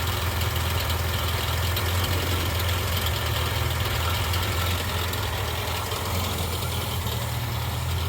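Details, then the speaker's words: Morris Minor four-cylinder, first start in 20-30 years after an oil change and new points, idling: a rough, irregular thumping from the exhaust that lessens with the clutch in. The owner wonders about the alternator; the cause is unconfirmed. "sounds quite freddy out that exhaust so that noise goes away when you push the uh goes down a bit when you put the clutch in"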